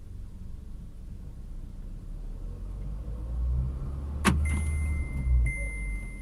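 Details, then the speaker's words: VW Polo Sedan on factory Kama tires, front left wheel raised, heard inside cabin in fifth gear at 60 km/h: soft low road rumble, no hum or growl; left front bearing normal, unlike the faulty humming right one. "Левое колесо не гудит."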